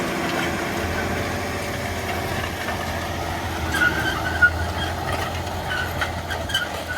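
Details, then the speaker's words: Quad-track tractor pulling wide roller implement in field, heard from cab with curved rear window: even drone with only odd stone clicks, no scraping or rubbing; running quietly and normally. "The noise dead is phenomenal. So, you can't hear it. working up lovely anyway."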